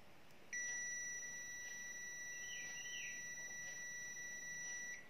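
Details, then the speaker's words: Digital multimeter Zotek ZT111 on ohm/continuity (buzzer) scale checking phone components: steady high-pitched tone for about four and a half seconds, continuity beep signalling a short. "on vérifie à l'aide d'un buzzer ou d'un son en utilisant le son oui, pour ce son, généralement s'il est court ou court, le son sonne comme ça"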